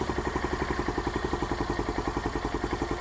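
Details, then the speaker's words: Venom SS3 KP Mini 150 after swapping to a Nibbi 26mm carburetor, jet changed and needle clip raised richer, before muffler fitted: even single-cylinder thump around eight beats a second, no misses or popping; normal idle. "I think everything looks good. It sounds good and throttle response is good."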